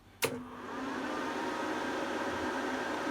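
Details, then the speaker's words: APC Smart-UPS 1500 bought as faulty, with battery and mains just connected: sharp relay click as it self-tests and transfers to battery, then steady fan and electronics hum, the fan running high briefly to cool charging circuitry; normal. "it should do a self-test in a second and click onto the batteries"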